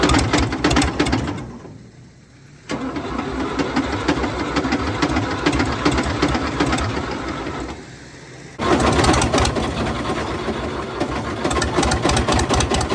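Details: Fiat 450 Special diesel tractor on a very cold day, run after working ATF out of cylinders and sump: rough, heavy clattering knock through runs and restarts; serious internal damage, later found flywheel spins but nothing inside, crank suspected snapped.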